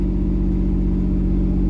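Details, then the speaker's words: Camaro V6 just after first start following fuel pump relay check, idling about 2,500 rpm: smooth, even hum with steady deep note, no knocks, ticks or misses; running normally. "About 2,500 RPMs. This thing sounds pretty good."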